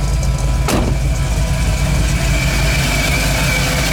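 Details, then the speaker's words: 1985 Ford F-150 on a new HEI distributor replacing a failed MSD/Holley unit, warming up at 120°, 21% IAC, target idle 700 rpm once at 160–180°. Steady, even low rumble, no knocks or misses. Normal warm-up idle. "I got Target idle speed set to 700 so once it gets to 160° or 180 it should settle on that"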